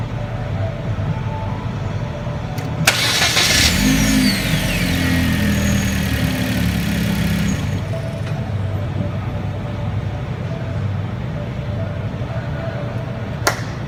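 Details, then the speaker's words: 2011 Hyundai Genesis Coupe 2.0T after starter replacement, cold start: brief crank, catches at once with no delay, flares then settles to an even idle; starter and start healthy. "So yeah, she turns on right away, no delay, and obviously you for sure know that that was a cold start, because I've been working on it for the past couple hours, so it works fine."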